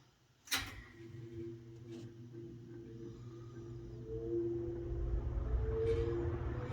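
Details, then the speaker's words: Westinghouse box fan, possibly early-to-mid-1970s, with metal blades started on low speed: soft whirring with a faint whistling tone that climbs and firms up as the blades reach speed; normal startup. "i'm going to start it in low because that's when the sound is more pronounced and you can enjoy what this beautiful fan sounds like as it starts up"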